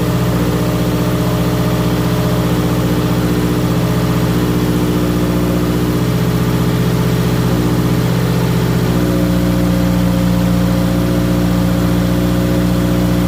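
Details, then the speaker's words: Subaru WRX 2.0 after replacing all valve shims (previous owner reported driver-side ticking), idling to temperature in garage while bleeding coolant, rpm dropping; loud, deep, steady idle through open exhaust, no valvetrain ticking; lifters now quiet. "we're just gonna keep this thing on the right temperature to let it idle for a bit you can see it's going down the RPM"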